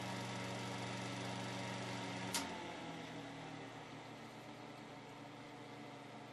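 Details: 1970s Hoover Knapp-Monarch automatic fin electric heater: steady, loud whirring hum with a low rattle runs until a click, then winds down; the fan is noisy from low to high.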